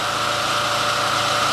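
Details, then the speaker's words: Main house generator that had shut down and spewed oil: after the fix it runs under load with a steady, even roar, constant pitch and no misses; declared fixed. "So there you go. Everything is good. That's it. Fixed."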